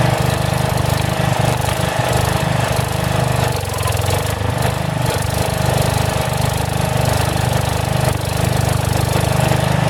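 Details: About 35-year-old log splitter refreshed with new pump, valve, filter, rebuilt cylinder and hoses, swapped-in 12HP single-cylinder engine: steady thump with brief speed sags and recoveries; governor hunts slightly, owner suspects carburetor needs adjustment.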